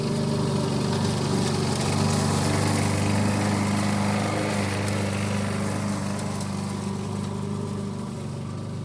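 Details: 1988 Alco push mower, Briggs and Stratton auto-choke engine, repaired from non-start (diaphragm, a common issue), mowing cut-and-drop with the old blunt blade: steady, even buzz under load, no misses or surging, pulling cleanly; normal running.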